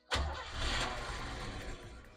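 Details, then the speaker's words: 1989 Isuzu Trooper barn find, first start after new fuel injectors and fuel filter: cranks briefly, catches quickly and settles into steady idle with slight early stumble; little misfire suspected, exhaust blow-by. "Hey. Yo, it worked. Let's go, dude. Little misfire, I think."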